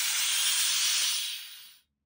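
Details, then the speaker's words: 1973 American LaFrance Pioneer fire engine, Detroit Diesel 6-71: sharp, steady high hiss of escaping air fading over a second or two; front air brake quick release valve leaking, should dump air when pedal released; cheap part to replace. "so that is the quick release valve in the front air brake system that is leaking um that's supposed to discharge all the air when you let off of the pedal"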